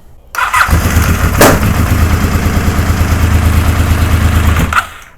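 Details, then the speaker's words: Honda VFR750 after long sitting, low battery, carbs primed, enricher off: slow, labouring cranking about three turns a second for four seconds with no catch; coil trigger and power wires swapped between cylinders one and three. "I switched the wires around on the coils I had number ones on number three and number three on number ones you know the trigger and the power wire for the coil"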